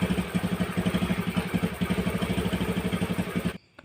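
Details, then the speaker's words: Honda Beat carbureted scooter with an ignition loss: after refitting the old spark plug, the small single-cylinder idles evenly with no misfire. The fault was traced to wiring, the yellow and blue-with-yellow-stripe wires from the coil. "Dan syukurlah, sepertinya sudah dimulai, teman-teman . Nah, itu berarti masalahnya hanya ada pada kabelnya,"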